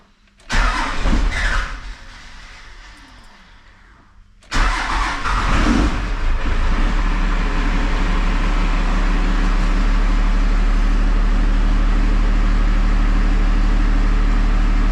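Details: Diesel truck after new fuel pump and sending unit fitted: a couple of cranking bursts, then it fires, picks up throttle and holds a steady, even low drone; running normally.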